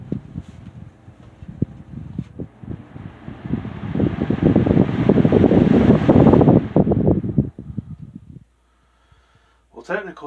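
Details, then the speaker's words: Lasko Premium 3723 box fan, late 1999, Marco motor, thrift-store find: brief fluttering hum on medium speed then stops almost instantly with no coast-down; owner says it needs oil, bearings likely dry. "that was the medium speed. And you see how quickly that came to a stop."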